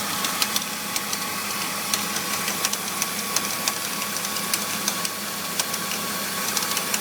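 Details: BMW E46 325i engine bay at idle: light, irregular metallic rattles about every couple of seconds over a steady idle, something loose up front, appearing after the pulleys, serpentine belt, radiator and power steering pump were replaced; source not yet pinned down.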